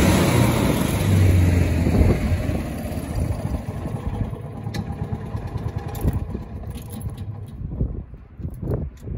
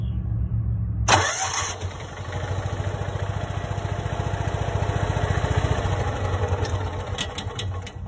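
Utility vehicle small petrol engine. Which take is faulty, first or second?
second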